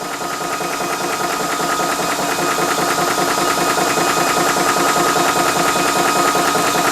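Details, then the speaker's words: Ballistic 12V 3-stage 350 W PCP compressor filling a rifle from just under 2000 psi toward 3000 psi, temperature rising; loud even piston chatter about 2.5 beats a second over steady hum, rising slightly in level; normal filling. "thing to mention as well is you obviously can hear the noise coming from the compressor, so be prepared for a little bit of a little bit of noise while filling up your gun, but once everything is full, then the fun starts."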